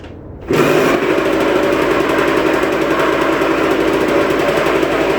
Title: 2003 rm125 grinding sound